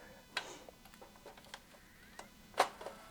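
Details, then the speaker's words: Vintage Sony EV-C100 Hi-8 video player, tape inside, on power-up: scattered light clicks and a sharper snap as the transport tries to load but does nothing; owner suspects the tape is split; play, stop, fast forward don't respond. "so customer States if you hit ack it sounds like it's trying to do something and it doesn't"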